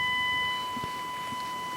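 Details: Rexina medium-wave radio fed a 1 kHz tone from a DDS modulator, with the signal source held far away (weak signal): steady, pure tone without buzz or rasp; clean reception, distortion only appears once the signal gets strong.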